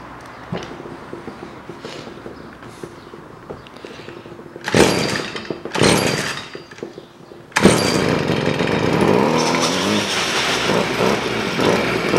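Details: Stihl FS 55 two-stroke trimmer, which previously would not rev and stalled, after a carburetor rebuild: catches after a few pulls and settles into a steady buzzing run while warming up; fuel now appears where it was absent before, and it runs normally.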